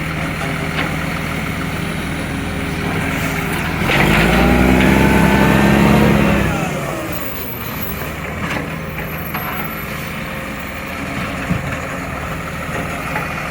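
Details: Recycling truck, diesel idling: fast sharp ticking puff over the engine, swelling briefly as it revs; exhaust leak.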